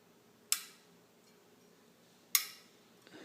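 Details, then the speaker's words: Mavic Crossmax ST 29er rear wheel: two sharp, bright metallic pings about two seconds apart, from drive-side spokes where they meet the hub; the pinging persisted and grew louder after tensioning the spokes to maximum spec, so a spoke or hub defect is suspected. "what I find out is that the spokes are the source of the problem and this noise is coming right from here"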